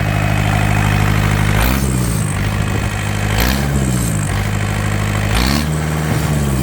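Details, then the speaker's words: Yanmar TK486 2-liter four-cylinder diesel, bought used and run after jumping the fuel shutoff, injector lines still leaking: steady, even clatter at idle with a turbo-like whistle and brief small speed dips. Normal idle. "Actually sounds pretty good for a little 2-liter 4-banger diesel. It's got a nice little whistle to it. Almost sounds like it has a turbocharger."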